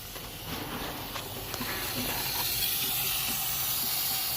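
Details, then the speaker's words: 2006 Ford 6.0L Powerstroke, 139,000 miles, crank no-start, air check of high-pressure oil rail at about 120 psi, valve covers off: steady hissing air escaping on one side only; standpipe probably bad. "you should be able to hear that hear what that sounds like that is air pushing out"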